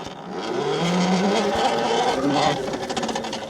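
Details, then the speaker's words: Tuttio Soleil 01 electric dirt bike, 2000W brushless motor: motor whine rising with speed under loud raspy buzz of chain rubbing the chain guard/guide; occurs with light rider not compressing suspension, goes quiet with heavier rider. "That's the that loud noise is the chain rubbing the chain guard. And since I'm not heavy enough to compress the suspension, uh my dad, which is a little bit heavier, weighs it down and it doesn't make the noise for him."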